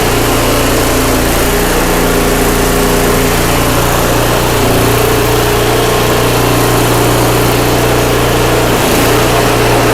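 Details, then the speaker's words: Craftsman 5/24 track snow thrower, small single-cylinder engine that ran poorly for the seller, now running after the carburetor was cleaned with carb spray and compressed air: steady, even throb with no surging or misses, normal running. "all right guys well that sounds great glad it came back so well i'm not surprised because this one wanted to run just right from the very beginning"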